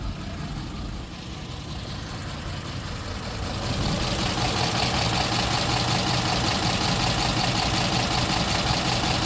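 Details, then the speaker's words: 2010 Ford F250 XL utility bed truck, warm after 40+ minutes idling: louder-than-normal rough, clattery diesel-like noise, not a valve or lifter tick; owner suspects lack of oil, maybe fixed by oil change; no smoke, drives. "the motor is good it's not blowing smoke it does drive but it's just a little louder than my normal standard"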